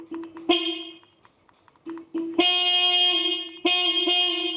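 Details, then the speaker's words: 1986 Honda Gold Wing GL1200 SE-i, sat for 9 years: weak bleats at first, then a clear steady horn tone in two strong blasts. Working horn. "Horn works."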